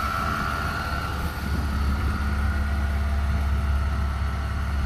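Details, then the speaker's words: BMW E36 with an M52 engine and M54B30 inlet cam, after a crank sensor swap and air-leak fixes: deep, even, smooth six-cylinder idle that revs well. "had to change crank sensor cleaning the outer control about a few air leaks but um running nicely now and it revs well with the m54 cam"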